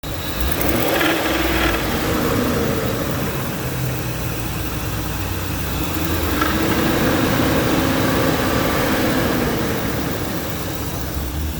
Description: Ford 5.4L Triton clicking noise in engine?